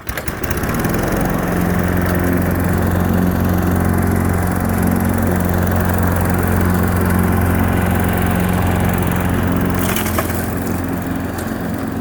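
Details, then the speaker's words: Push mower, previously running only on starting fluid, now mowing on old fuel, cutting about half to one inch of grass: steady low drone with a firm, even beat at constant speed, no misses or surging; running healthy under load. "So I cut about an inch, half inch off some of that. There's some tall grass over there I'm gonna go through, but it's working, it's good, shouldn't."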